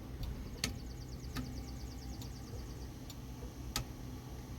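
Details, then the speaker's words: 1973 Dodge D100 with intermittent left turn-signal indicator: crisp single flasher clicks about every three-quarters of a second over a quiet engine; normal flasher operation, blinkers working. "can hear the flasher, and the blinkers are working."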